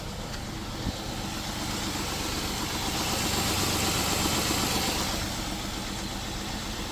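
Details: 2007 Jeep Wrangler after replacing the faulty oil pressure switch: the oil pressure light is out and the engine holds a smooth, even idle with a regular pulse around four per second and no ticking or knocking. Normal idle.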